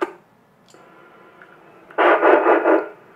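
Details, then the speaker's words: Yaesu FT-2312 1.2 GHz transceiver after VCO repair: steady even carrier tone with no rumble under it, brief noise burst; clean transmit carrier, about 10 W on high power. "can hear the beautiful carrier. There is no rumble as before,"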